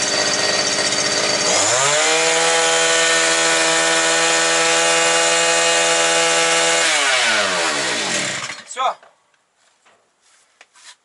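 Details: New gasoline brush cutter (trimmer) that would not start, running bare without shaft or gearbox: rises quickly to a clean high scream at about 9,900 rpm, holds evenly, then drops away; normal running.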